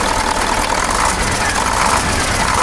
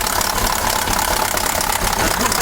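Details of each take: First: KamAZ 740 Euro 2 diesel after reassembly and valve adjustment, restarted following a knocking complaint: even, steady idle clatter with no stray knock; engine sounds healthy now. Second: KAMAZ 740 Euro-2 diesel, cold and not yet warmed up and hard to start, idling loudly with a rapid metallic clatter, first suspected near cylinder 3 or 7.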